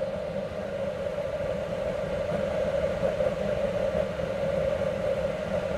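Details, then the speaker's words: Homemade waste oil heater burner test-fired on kerosene with a new 12 V computer fan, much quieter than the previous fan: constant smooth whooshing burn with a soft steady hum, no knocking or chattering; normal burner operation with quiet fan. "fans off right there fan on i believe that'll work and it's much quieter than that other fan"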